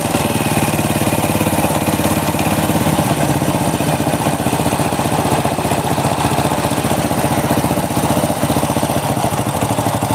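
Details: Honda Supra motorcycle idling after a kick start, the front engine section sounding "horrific": a fast, steady clatter riding every beat of the small single, from a loose, worn clutch housing plus an off-centre crankshaft with runout.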